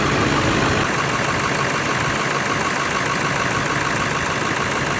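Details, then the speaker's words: Salvage-auction Ford 7.3L Power Stroke diesel, first start after fitting batteries on both sides: even, rattly diesel clatter at a steady idle with no misses or knocks standing out; check-engine light on, sounds healthy. "Yeah, that's a check your engine, all right. Sounds pretty good."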